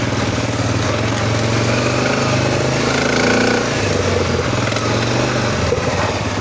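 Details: СФ Мото 500 motorcycle engine: loud uneven running with a rough, gravelly clatter over the engine note; internal knocking and grinding, cause not yet pinned down.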